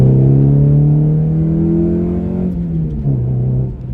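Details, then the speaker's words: Excel with new suspension and springs, driving under load after fitting a bigger hot dog resonator: smooth deep exhaust drone, steady low tone easing as revs drop, former raspiness gone; flat-spotted tyres may add vibration. Normal exhaust note. "It sounds really good, the car now. A lot better than it did before. It was extremely raspy, so yeah, I'm glad that I installed that bigger hot dog, because it just got rid of all that rasp, because it just had so much rasp before."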